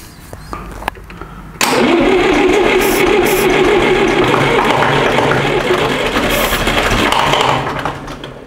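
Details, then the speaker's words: Massey Ferguson MF-35 diesel, first start after rebuilding a frost-damaged engine with a repaired cracked cylinder head, injectors partly empty, cold at start. It cranks briefly, fires at about 1.6 seconds, then settles into an even, steady run. Normal cold start. "yeah yeah that works all right she's running quite good as well for a full engine"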